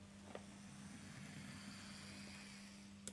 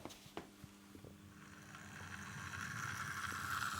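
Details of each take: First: Bachmann LBSC Thomas model locomotive at speed setting 50: soft steady motor hum with no knocks, faint click at end; noticeably quieter than the older serviced Thomas. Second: Bachmann LBSC Thomas model locomotive, first run straight from the pack: thin rising whine with scattered ticks as it gets going, far louder than a smooth mechanism should be; hoped to ease as it runs in.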